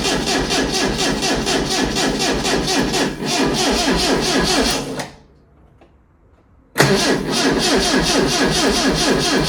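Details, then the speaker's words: Lotus Elite laid up in a barn for ten years, first start attempt: steady starter cranking about two turns a second, a pause, more cranking, never catches or fires; crank no start, further investigation needed. "Nope. So you need some further investigation. I mean, it was a bit of a tall order, hoping that it'd start after so many years, but let's have another little look"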